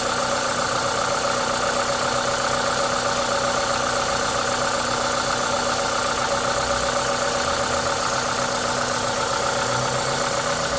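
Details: Toyota 2ZZ-GE engine at a normal idle, steady and even with a smooth rhythm; the constant hiss on top comes from an induction kit; no knocks or misses, healthy.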